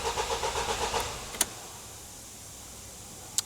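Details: Vauxhall Vivaro van crank-no-start: about a second of quick, even cranking, roughly four beats a second, never catching, after priming fuel system; live data showed fuel pressure too low; actual cause immobiliser not reading key, missed fault code.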